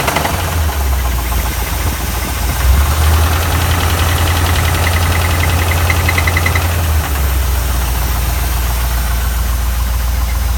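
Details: 1979 Ford Mustang Ghia 5.0 V8 at idle after three years in storage: deep idle with an uneven knock about three beats a second over the rumble; internal engine knock, cause unknown.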